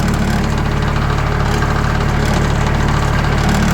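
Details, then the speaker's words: Sawmill at idle, blade tensioned to about 500 psi to avoid blade rattle, before applying sound-deadening sheets: steady low idle with fast metallic buzz from loose sheet-metal door rattling. Sheet metal door rattle. "There are certain times when this rattles a whole lot."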